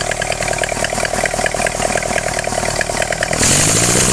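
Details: Engine after a carburetor swap: uneven, stumbling run with a rough pulsing beat, then a sharp surge near the end; misfiring and backfiring, cause not pinned down.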